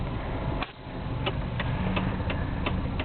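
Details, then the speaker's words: 1989 Volvo 240DL wagon 5-speed, hazards on: steady, crisp flasher clicking at about two per second; the hazard flasher works normally. "hazards work lights all work service light goes out"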